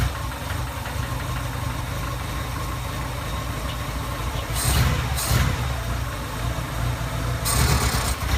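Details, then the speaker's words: 1987 Suzuki Samurai Sidewinder kit with 44mm Screaming Eagle carburetor, cold start at about 20–24°F: slow heavy throbbing idle with throttle blips; idle speed set too low, corrected with the carb's idle adjustment. "basically what I had to do was basically the idol was really low so I just basically turned turned a little adjustment"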